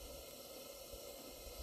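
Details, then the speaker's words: Barn-find Coleman 237 kerosene lantern, made in England, on original kerosene with uncleaned generator, after extra pumps: soft steady burner hiss with no sputter or surging; burning evenly. "I'm still taking a while for that mist to be an air burn down that's pretty impressive"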